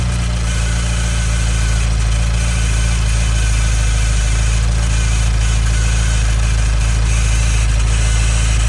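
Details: 2015 Nissan Juke Nismo RS, 112,000 miles, at idle: a faint dry static-like rattling hiss over the engine. It seems like a vacuum leak, but everything is bolted down and it drives well; timing chain suspected, unconfirmed.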